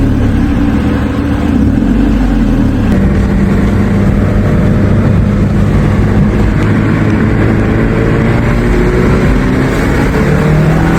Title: Mazda 3 Exhaust leak.. Sounds pretty good 👀👀 ❗️